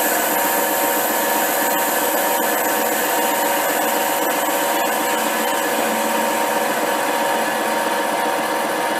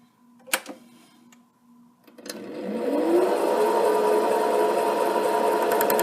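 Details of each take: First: HiTorque 5100 7x16 mini lathe facing steel with spindle speed back up and a shallower cut; steady even cutting hiss with no rattle or squeal, a clean smooth facing cut without chatter. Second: HiTorque 5100 7x16 mini lathe facing a heavy workpiece: the motor whines steadily while the tool ticks three or four times a second on ridges at the edge. It is an interrupted cut and the cut depth is too deep.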